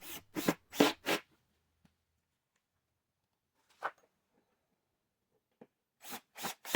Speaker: When I screw in the cam screws, you can hear that click. That's the clutch kicking in so that no more power is being applied to the cam screw.